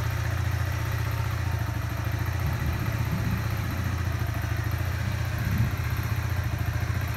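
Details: New Kawasaki Z125 Pro, three weeks old, just over 100 miles, 4-stroke: steady idle with a light, fast ticking on top that appears once the engine is warm; owner unsure whether normal.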